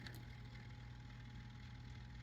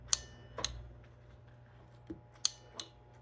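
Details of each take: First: Data East Star Wars pinball playfield motor, driven by manually shorting the relay pins: soft steady hum with a faint even whirr, no grinding or stalling. Motor is good; the relay board or its input signal is still in question. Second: Data East Star Wars pinball playfield motor tested in diagnostics: irregular crisp relay ticks over a faint hum with no motor whirr. The relay works but the motor doesn't run; the 28 V AC supply is to be checked next.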